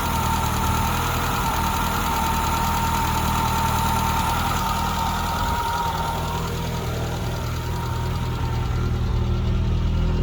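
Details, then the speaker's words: 1984 Holden Drover at idle after the distributor cap was swapped for a new one to try to stop a misfire: uneven idle with an irregular stumble and lope of about four beats a second, still missing. Finding: misfire at idle. "I just want to hear what she sounds like I've got now I hear the missing huh"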